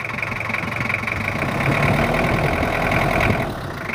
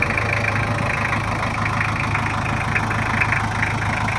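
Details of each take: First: Toyota Kijang LGX 2.5 diesel at idle, complaint of rough sound, valve adjustment due, with oil seal leaks: uneven, lumpy beat around four pulses a second with a clattery edge, rough idle. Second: Toyota Kijang LGX 2.5 diesel idling after service, previously rough with valve clearance due; now not as rough as before: steady, even clatter with a low constant thrum, no misses or knocks, normal idle.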